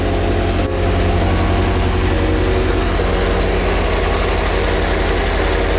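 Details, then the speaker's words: Nissan 240SX S13, which earlier would not rev past idle, after refueling (the tank had been empty): a deep, steady idle at about 85 beats a minute with no stumbles, two minutes in; normal idle. "So I went to get gas, and it's been idling for about 2 minutes now with no issues yet."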